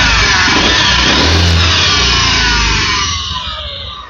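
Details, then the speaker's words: 2018 Honda Vision 110 scooter with ACG starter, only 4,368 km, out of warranty: revving engine with a harsh, high screech that falls away as revs drop, traced to a crankshaft bearing. "Vì vậy, Honda không còn bảo hành nữa, và khách hàng đã mang nó đến chỗ tôi để tìm hiểu lý do tại sao nó lại phát ra tiếng ồn đó. Thật sự không thể chịu nổi."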